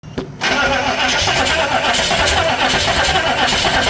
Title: any help out there, please, after replacing the timing, won't starting I don't know why